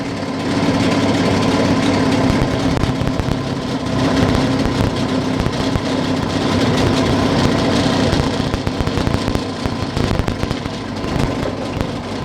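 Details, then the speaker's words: Outboard boat motor during carburetor adjustment: low idle runs uneven and lumpy, revs sagging as it tries to stall, from an incorrect mixture screw setting; idle speed raised. "motor stalls, tries to stall. The revs risen up. Most likely you can leave it that way."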